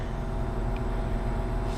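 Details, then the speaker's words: Mini split air conditioner after main circuit board replacement, test run: smooth, even low rumble with no knocks or rattles as the unit runs and cools normally. "All right, we're back. We are running. And we're cooling."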